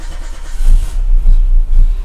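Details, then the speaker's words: Renault Super 5 after a year and a half of restoration: engine catches after a few uneven low thumps and settles into a steady run with no carburettor popping; normal start, though carburettor adjustments are still to be done. "démarrage parfait parfait j'ai rien de dire alors ça pète pas au car sûrement parce qu'il y a encore une fois des réglages à faire"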